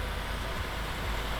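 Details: Wrecked Lexus RC-F V8 under rebuild, idling right after its first start following teardown: steady, even low rumble with no knocks or misses, settled into a smooth, healthy idle.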